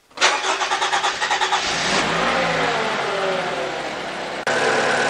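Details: 2014 Toyota RAV4 2.5 litre with an intermittent no-start and loss of fuel pressure, after swapping in another relay: several even cranking beats, catches within two seconds and runs steady and smooth; fuel pressure restored, relay blamed.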